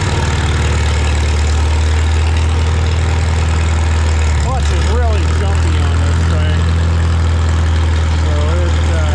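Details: Farmall Super M tractor being prepared for the Mackinac Bridge crossing, just started with the choke and throttle levers, clutch depressed. A deep, steady low-pitched idle that holds even throughout with no misses or knocks. It runs normally.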